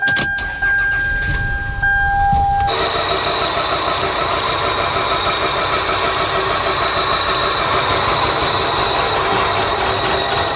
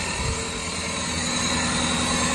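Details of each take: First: 1999 Toyota Camry 2.2L four-cylinder, codes P0300/P0301/P0302: after start-up it idles very rough, cylinders 1 and 2 not firing (confirmed cold by thermal camera), two separate causes. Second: 1999 Toyota Camry 2.2L four-cylinder after fixing two separate causes of cylinder 1 and 2 misfires (P0300-P0302) that made it run very rough: even idle, steady hum, no stumbles, skips or knocks.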